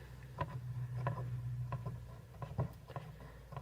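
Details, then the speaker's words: Mini beer fridge that quit: low hum with scattered sharp clicks as the compressor motor tries to kick, turning about half a rotation, never running; owner first suspected capacitor, fault was the thermostat. "oh I felt the motor try and kick I wonder I don't know if you guys heard it but I felt the motor like rotated like half a rotation just did it again"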